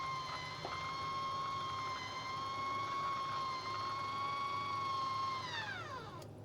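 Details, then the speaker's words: MaxAir roof exhaust fan lid motor test run after DIY repair, triggered by remote: smooth, constant-pitch motor whine for about five seconds, then the pitch drops as it stops; lid drive works normally. "and that's what it's supposed to do all right and then in the opposite it should do the opposite"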